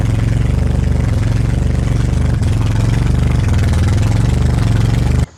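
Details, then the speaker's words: 1982 Toyota Celica Supra newly running with radiator, water pump and alternator fitted; loud uneven low pulsing that never smooths then cuts out; rough running. "is running like [ __ ] but the alternator might work"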